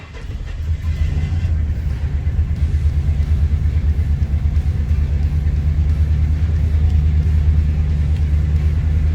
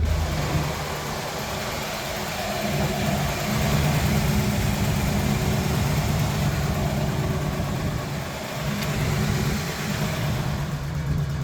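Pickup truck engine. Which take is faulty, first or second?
first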